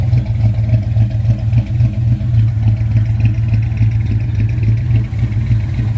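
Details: 1979 Ford Ranchero after a carburetor rebuild and jet change: a lumpy, uneven idle with irregular low thumping and dips in rhythm, close to stalling. Owner suspects vacuum problems, not confirmed.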